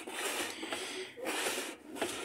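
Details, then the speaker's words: Whirlpool top-load washer that won't spin-dry, tub turned by hand on spin: dry scraping rub as the metal tub catches the plastic tub; the tub's support has rotted through and the tub dropped, needing tub replacement. "cuando le hacemos esto, se oye que roza la tina de metal con la tina de plástico. Eso significa que La tina se desfondó."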